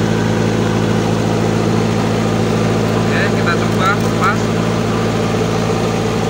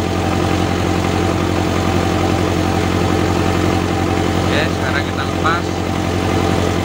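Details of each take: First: Toyota Dyna Rino 115PS diesel after repair, revved up, positive battery cable disconnected: steady diesel idle with even low drumming keeps running, no die-off; the alternator is charging again. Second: Toyota Dyna Rino 115PS diesel, revved up, positive battery cable pulled as an alternator test: steady idle dies within about a second, showing the alternator isn't charging.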